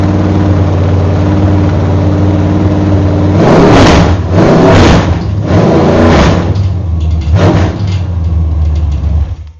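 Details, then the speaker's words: GM Performance V8 crate engine on open headers, run before going into a race car to check for leaks: deep steady idle, then several sharp blips rising and falling cleanly; strong even-firing V8, nothing amiss. "my neighbors haven't heard a good healthy V8 running with open headers for a long time, so we're going to give them a treat today."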